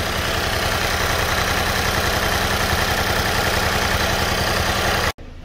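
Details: 2012 Mini Cooper with a crank-no-start complaint, now running after power was restored. The suspected issue is in the terminal 50 start circuit. Steady, even idle with a regular low beat and no knocks or misses, cutting off sharply at the end. The engine runs fine.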